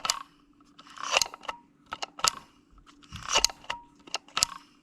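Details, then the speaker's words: Honda Prelude push-release latch after bending it to stop constant releasing: crisp plastic clicks in pairs, push then release, about once a second, each clean; latch now working correctly. "Let me mess with it. All right. I got it working correctly."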